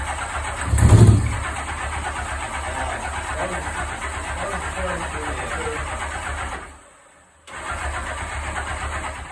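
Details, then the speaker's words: 1984 Honda Goldwing 1200 after new fuel pump install: steady cranking that never catches; fuel reaches the carb line but carburetors won't accept fuel, owner suspects a stuck float needle. "so I'm getting fuel into the fuel pump out of the fuel pump I'm getting fuel at the fuel line um to the carburetor but the carburetors are not accepting fuel"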